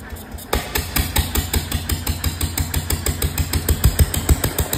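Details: 1925 National 5V petrol-paraffin engine, first start in decades, with no exhaust fitted and fuel, cooling and governor not yet set: slow, uneven open-exhaust chuffs about three per second with loud knocking beats; running but untuned.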